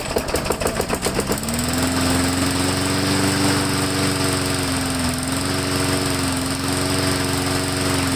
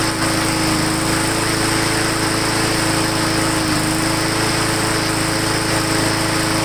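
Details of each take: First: Lawn mower run right up until it was replaced, engine starts rough then drones with pitch wandering up and down, surging and hunting; owner suspects a clogged air filter from very dusty, dirty use, not yet checked. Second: Lawn mower after bending throttle linkage back, air cleaner refitted, Seafoam in fuel: steady, fairly even buzz with clear tone, slight initial surge now fading; normal running.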